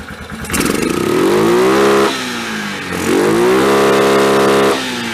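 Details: 2003 Yamaha Kodiak ATV single-cylinder, just reassembled and started with a little choke. Picks up cleanly on two blips, climbs evenly, holds and drops back smoothly. Normal revving.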